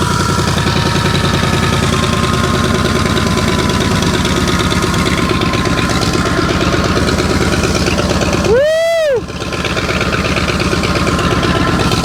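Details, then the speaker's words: 1984 Ford 351 Windsor V8 from an F-150, stored about 23 years, first start: fires in under one revolution and settles into a steady, even V8 burble with no miss, tick or knock; healthy running engine. "We did it. It didn't even crank over like a full revolution. That is awesome. Super excited. Listen to this old girl run. 20ome years setting."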